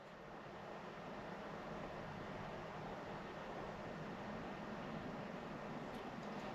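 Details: Land Rover Discovery Sport diesel with a non-start and low battery, where a fuel lift pump fault was suspected: at ignition-on after plugging back in, a faint steady electric hum as the lift pump runs. Normal fuel pump priming.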